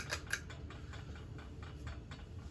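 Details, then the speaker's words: 1989 Crest 2000 Series 36" ceiling fan running: soft hum with a light dry ticking about four or five times a second; dry bearing noise, suspected bottom bearing. "Yeah. I did just hear some dry bearing noise. Oh, it started again."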